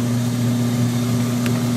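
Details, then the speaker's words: Free used Kenmore 80 Series washer, lower model, three-speed, tested on fast agitation: steady low hum with smooth swishing churn, more water splashing than machine noise, no knocks or grinding; exceptionally quiet, normal. "listen to how nice that is next speed up and fast you got more sound of the water splashing around than you do of the machine running this one is exceptionally quiet"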